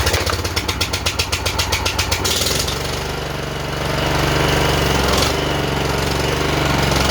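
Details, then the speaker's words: John Deere JX85 commercial walk-behind mower that had hard starting and surging, first start on full choke after carburetor rebuild: quick pulsing as it fires, then steady even running with no hunting or surging. "okay I'm not hearing any surging I think we took care of it whatever it was"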